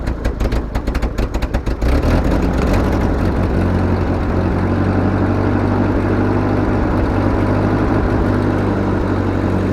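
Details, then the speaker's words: 1943 Ford 9N backhoe tractor being started after sitting: coughing, uneven firing, then a lumpy irregular idle; runs rough, and the engine block has several cracks. "she runs not going to say she runs well she needs some help uh the block has a lot of issues"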